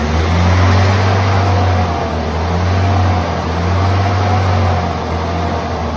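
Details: 1978 Ford Pinto cruising wagon, long-sitting, just revived: steady fast idle with a slight rise and fall, never settling low, with the throttle plates fully closed; a massive vacuum leak, with the PCV valve hose suspected.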